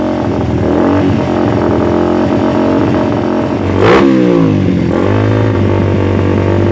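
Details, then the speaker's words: Suzuki Satria FU with the intake cam advanced about 1 mm, PE28 carb, air screw over four turns out: lumpy, unstable idle, choppy on throttle but more responsive. Uneven running attributed to the cam advance. "jadi kalau kita gas tuh suaranya agak putus-putus gitu jadi enggak enggak manteng Tuhan Ya"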